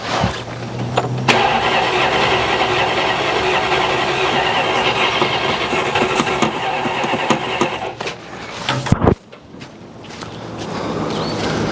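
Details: 1969 Dodge Coronet 440, long-sitting, carburetor suspected clogged and previously backfiring flames out of it: long cranking with the engine trying to catch and firing unevenly, then dying without running; cause not confirmed.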